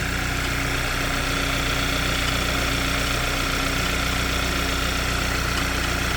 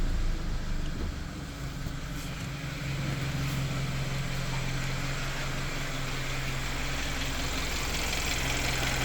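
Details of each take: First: Hyundai Sonata engine bay at idle: steady fast tick-tack about three per second, most prominent at idle, appeared suddenly and persists; source unknown. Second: Hyundai Sonata engine at idle, after a no-liquid fix for a tick-tack ticking noise that was loudest at idle. Now a smooth, steady low idle with no tapping; the owner thinks the fix reduced the noise but will recheck whether it returns.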